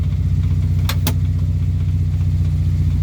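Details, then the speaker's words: Morris Minor 4-door after new ignition barrel, with choke: low lumpy uneven idle about four beats a second; running rough and missing, owner bets points and plugs need cleaning; ignition light on from stuck regulator. "I bet the points will want cleaning. The plugs will want cleaning. Something's not quite right with it, but the ignition light's on because the regulator's stuck."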